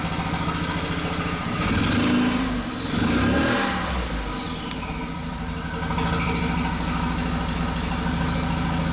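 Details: 2001 VW Jetta Wolfsburg 1.8T (180 hp), bought non-running with a suspect engine harness: revs rise and fall with a choppy, stumbling beat instead of a clean climb; misfires on cylinders 2 and 3 (P0302, P0303, P0300) under throttle.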